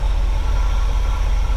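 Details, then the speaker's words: 1979 GMC Vandura G25 3/4-ton van, carbureted V8, idling after moving the distributor vacuum line to ported manifold vacuum: deep, steady even rumble, vacuum gained about 2 in from just below 15, idle a little smoother; smooth idle. "of probably 2 in of vacuum. So that's idle a little smoother."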